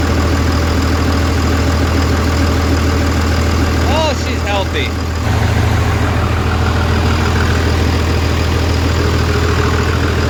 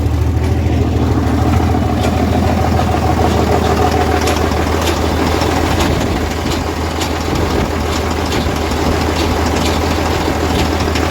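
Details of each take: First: Diesel truck with a new transmission, just started after reassembly and bleeding the injectors: deep, steady idle with an even low thrum and no misses or knocks; runs with no check engine lights. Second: Diesel truck with turbo (boot disconnected) idling then revved: uneven, irregular rattle over the rumble, resembling a torque converter bolt but inconsistent and stopping when revved; failed turbocharger.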